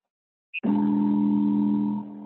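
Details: 3D printer during auto-home: a steady low electrical buzz holds about a second and a half, then drops away as an axis motor strains without moving cleanly; trainer suspects the X-axis stepper motor is partially unplugged, not confirmed.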